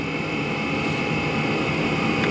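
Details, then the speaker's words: Chinese diesel heater running on used HV46 hydraulic oil on a cold night, oil at −7 °C. Steady fan rush easing off during its normal shutdown cycle, with the glow plug and fuel pump still running and a whisper of smoke. "we're still running the globe plug now and the fuel pump's still running as it does when it shuts off hmm"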